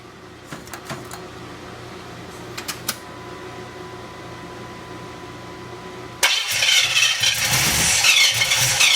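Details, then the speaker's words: 350 V8 truck on first start attempts: quiet, then a harsh, rapid starter churn that never catches; cranks but won't start, owner suspects the distributor is off a tooth and lacks advance, so it was moved over one tooth. "I think that distributor might be off a tooth. I can't get enough advance out of it."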